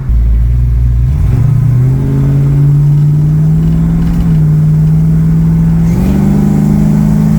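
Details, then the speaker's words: 1969 Mercury Cougar 351 Cleveland V8 after replacing the mechanical fuel pump (previously surged, ran lean, wouldn't take RPM); accelerating at about half throttle it pulls smoothly and evenly through the revs with no surging or stumbling; running healthy. "engine well that was about halfway to the floor and it was running pretty good so I think we're all right"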